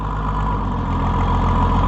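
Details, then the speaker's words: Oliver 77 Rowcrop tractor engine started at 37°F using choke, fuel leaking, oil pressure gauge faulty: steady, even low idle with a smooth regular beat and no knocks or misses; runs good. "runs good. Spoiler alert, I did have it running off camera yesterday. So, I knew it was going to start today. But, it pretty well started just like that."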